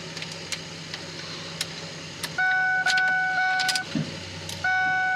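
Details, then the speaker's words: Ford Focus SVT, dead car: light clicks then a steady mid-pitched electric hum as the fuel pump primes at key-on, working normally. "I hear the fuel pump kick on that's a good sign"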